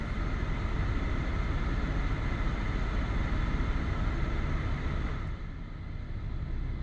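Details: 2016 Toyota Sienna cabin blower motor after replacement (old one screamed high-pitched, then rumbled), 48°F outside: steady, even rush of air with no ticking, rubbing or squeal, easing slightly near the end; normal blower operation.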